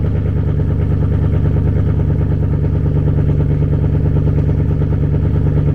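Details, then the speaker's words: Chevrolet Camaro 2SS V8 idle: uneven, choppy beat with slight stumbles in the lope; owner blames StabiliTrak being on for the misfiring and sputtering, cause unconfirmed; misfire at idle. "Now, this is going to sound choppy. Like my Camaro sounds good, but it don't, because the stable track is on. So when you can hear it misfiring and sputtering, like you can hear it, and that gets on my nerves so bad."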